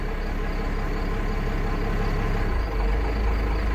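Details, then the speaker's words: 1995 Dodge Ram 3500, 12-valve Cummins diesel with over a million miles, started cold ("cold blooded"): deep, slow, steady clatter that idles lower than expected with no speed-up; owner thinks idle rpm should be higher, unconfirmed. "it is a little cold blooded and it it idles really low"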